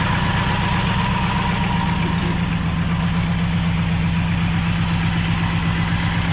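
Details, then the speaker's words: Abandoned 1968 Ford XL with failing carburetor and poor fuel supply, idle mixture unadjusted, idle screw broken: steady idle with light, even tapping about four per second; source unclear, possibly water pump. "What is that sound? Maybe water pump. I hear a little tapping here."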